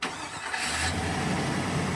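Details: 2000 Chevy Silverado 1500 5.3L V8 with no-crank no-start complaint, after starter replacement; quick crank, catches and settles into smooth even idle with steady low rumble; normal start and idle.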